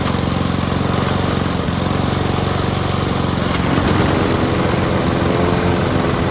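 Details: Honda and Mountfield petrol lawn mowers (Mountfield with a replacement fuel tank) running together before winterising: steady, even putter with no misses or knocks; both healthy.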